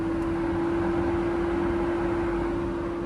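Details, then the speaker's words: BMW electric cooling fan run through an active test with the CGSULIT SC530 scan tool: a steady, even whirr at constant pitch with no rattle or surging, operating normally. "Electric fan, that sounds pretty safe. Electric fan, yes. Activate. Activation completed. Oh, there we go."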